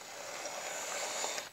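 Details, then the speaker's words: 1970s Bachmann F9 eight-wheel-drive model locomotive, restored, test on the track: smooth, even high-pitched motor whir for over a second, then a few light clicks as it stops; runs much better than before, normal running. "let's give her one more test for good luck back on the track it goes that is a very satisfying result wasn't it didn't run but it just runs so much better now"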